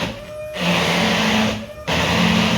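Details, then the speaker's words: Mercedes E-Class electric power steering pump on rubber isolators, running off 12 volts with engine off: hum that jumps to a louder steady whine each time the wheel is turned; still noisy under load. "so yeah that it's still quite noisy it's on rubber isolators too"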